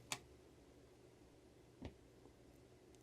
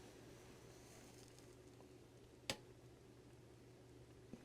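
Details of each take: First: Budget amplifier board on a bench power supply, no signal source, quiet room: a sharp pop then a softer pop when switched off, no hum between; it gives three pops at turn-on. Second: TDA7498E amplifier board, one channel connected, powered on; single soft switch click with barely any pop, faint low hum and no hiss audible from the seat, slight hiss only at the tweeter, clean quiet turn-on.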